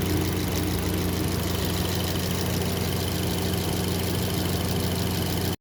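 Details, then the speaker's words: 2023 Kia Sportage after replacing the faulty intake camshaft variable valve timing gear, timing chain and tensioner: steady, even idle with a smooth low hum and no timing-end ticking or rattle; variable valve timing noise gone. "Yun okay na talaga yung under nya. Wala na yung ingay sa variable."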